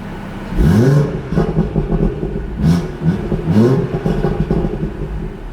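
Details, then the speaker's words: A BMW 340 with a new Dorch Engineering Gen 1 DS25, running about E15 (93 Shell V-Power) on map 2, a 93 tune. Quick free-rev blips rise and fall back cleanly to a steady idle, with no misfire or knock. Healthy. "yeah I'm on map 2 you know map 2 is a 93 tune yeah so I mean it's pretty accurate give some uh little baby revs well not real baby"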